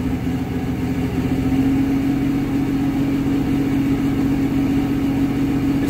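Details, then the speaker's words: Diesel hotshot truck with heavy oil leaks (valve cover gasket ordered), revved to about 1750 rpm with no load. Uneven, lumpy beat under a steady hum; it reportedly stalls under load. Running rough, cause unknown. "not moving but it sounds like [ __ ] it's not shaking the whole truck"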